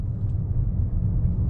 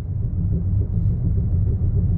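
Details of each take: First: Car at 57,000 on the odometer, previously clunking from a loose bolt at a front wheel; after checking and retightening, only a smooth low road rumble while driving, no clunk or knock; normal quiet driving. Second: Car with 57,000 km, no crash damage, driving slowly about 10 km/h on flat road: steady rhythmic clunk with wheel rotation from front wheel area under chassis, caused by loose front wheel nuts.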